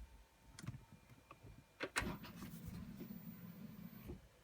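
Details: Chevrolet Corvette C6 that suddenly stopped starting: a few sharp clicks, then a low steady hum about two seconds with no cranking; no crank no start, owner suspects BCM or security issue.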